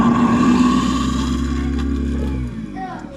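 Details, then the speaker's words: Newly installed 1 HP Waste King garbage disposal, replacing an 8-year-old 1/2 HP Badger, run after draining a hot-water leak-check sink: strong, steady low hum, no rattle or grind, winding down after about 2.5 seconds; healthy. "Sounds pretty strong."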